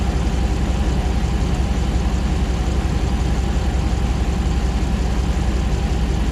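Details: 2009 Ram 1500 Hemi V8 first start after months of rebuilding: deep, even idle with a steady low beat, no knocks or misses, condenser fan on, no new trouble codes; normal idle.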